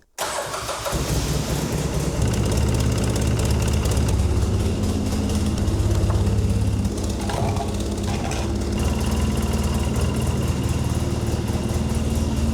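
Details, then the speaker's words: 2013 Polaris Sportsman Forest 800 6x6 ATV started after an oil, filter and coolant change, run to recheck oil and coolant. Quick catch on the starter, then a steady even idle with no misses or knocks. It got hot quickly and the fan came on after 4–5 minutes. Normal start and idle. "Let's start it up and run it for a little bit and then recheck the oil and recheck the coolant."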